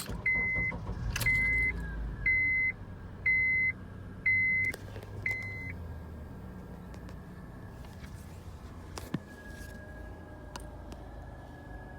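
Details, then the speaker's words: Car starts after six chime beeps and idles with steady high whine over low rumble, felt in the seats at idle; owner calls it knocking, also with slight throttle; cause unknown. "my car makes this I don't know if you want to call it a knocking or mmm I don't know what you would call it really but um all I know is I feel it in the seats when it's an idle"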